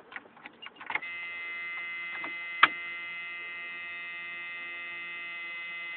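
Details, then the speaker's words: Jeep YJ with a self-built 4.7 I6 stroker, Aeroturbine 2525 muffler, idling evenly with a steady high squeal from the squeaky power steering pump. "Try not to mind the uh squeaky powder steering [Music] pump. That's what it sounds like idling."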